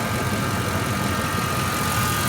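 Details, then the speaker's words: 1997 Ford F-150 CNG after replacing the faulty ignition coils found with an ignition probe: even, steady idle, misfire gone, no longer shaking. "you got a good fire line this fire is gone cars not shaking anymore"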